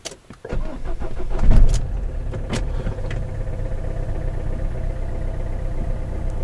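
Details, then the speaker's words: Renault Kangoo, 343,000 km, cold morning start after replacing alternator overrunning clutch: starter catches in about a second, low steady idle, no rattle; earlier loud cold-start rattle gone, idle may hunt first 20 seconds. "Не тарабанит ну как бы двигатель там как-то подр на холостых когда холодный у меня там первых секунд 20 может или обороты поплавать но то к муфте не относится тишина по муфте тишина"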